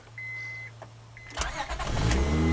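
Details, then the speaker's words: 2003 Honda Odyssey V6 starts cleanly and runs smooth and even after replacing counterfeit plugs with new NGK iridium plugs and fitting OEM coils, following a misfire with shudders; no stumble heard. "sweet that's a crisp on the v6 sound right there I love it"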